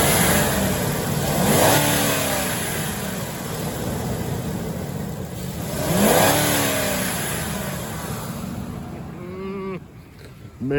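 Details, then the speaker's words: 2005 Ford F-150, 5.4 Triton V8: two clean throttle blips rising and falling smoothly over a deep, even V8 burble, no knocks or misses; sounds good. Healthy engine revving. "Man, she sounds good. All right, Kyle. I hope that was what you were wanting to hear, man."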